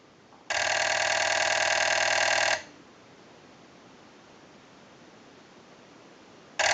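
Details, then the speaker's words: TP6A military rotary desk telephone after rewiring and cleaning connections, analyzer sending a ring cycle: two-second bursts of fast mechanical clattering from the solenoids, not the bells, then about four seconds of quiet; normal ring cycle. "now that we know that this telephone is ringing in on a ring cycle and you hear the mechanical noise from the Silla nodes and actually not the bells at all"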